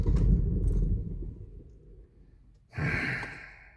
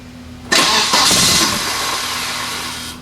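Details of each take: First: 1993 Volvo 940 turbo wagon that stranded its driver on the road: the starter spins the engine steadily but it never catches or fires; a crank-no-start. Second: Volvo 940 turbo wagon after fixing a no-start in the fuel feed from pump to filter: brief crank, catches at once and settles into an even, steady idle with no leaks; normal start after repair.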